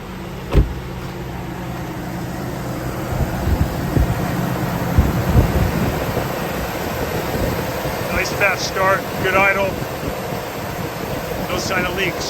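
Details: 2004 GMC Yukon after fuel injector replacement (old injectors clogged) for rough idle and cylinder 3 misfire. With the cover reinstalled, a soft, low, steady idle rumble with handling noise and chirps; the engine idles smoothly.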